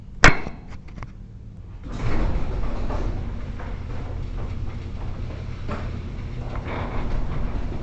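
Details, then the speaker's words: Commercial warehouse garage door with spring assist, rechecked after lubrication, opening: low rumbling run with a slight uneven shake; slight shimmy likely from the springs doing their job, acceptable. "So it definitely has like a little shimmy, a little shake to it, and honestly I think in a lot of ways that's just the pusher springs up above doing their job to get the garage door to close."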